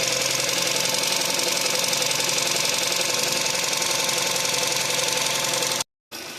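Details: VW Caddy 1.2 TSI petrol engine with apparently neglected oil changes, just restarted after the oil was pumped through. Fast, light ticking about four a second over the idle comes from a hydraulic lifter still pumping up, and it quiets within minutes.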